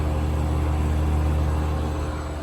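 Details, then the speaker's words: 1980s Super dehumidifier (R-12) with replacement fan motor after worn-out bearings; steady low hum and strong even airflow from the back, no rattle or rubbing; normal running. "oh yeah that's pulling in a whole lot of air from the back"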